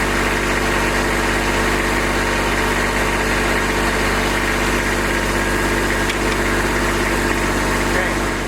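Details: Kubota B2601 diesel tractor, first start in a month in cold weather with block, oil and transmission heaters, started quickly; steady even diesel clatter at idle, no misses or knocks while warming up, normal.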